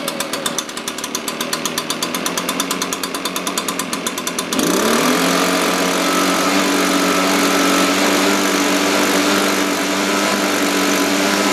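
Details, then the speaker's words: Echo PB-580T two-stroke leaf blower, cold start, older fuel, bogs on throttle, suspected vacuum leak or carburetor issue: slow lumpy idle then steady high drone when revved; idle a little low, slightly rich, needs tuning. "i definitely think it needs to be tuned up the idle's a little low"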